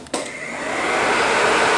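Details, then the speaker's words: Normal radiator fan operation on an ATV after replacing the thermo switch. A click, then a steady airy whoosh that builds and holds even; the new thermo switch is switching the fan on correctly. "You hear the sound. So everything's okay. Thermo switch is doing correctly now."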